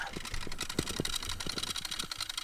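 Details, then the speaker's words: Denon DRM-650S cassette deck during playback: irregular sharp clicks, several per second, over a thin high squeak as the tape transport chatters; the owner suspects belts or a lack of lubrication. "squeaking and the clicking. I don't know if it is actually a belt issue or whether it's just because it hasn't been used for ages. It's making all these like horrible noises."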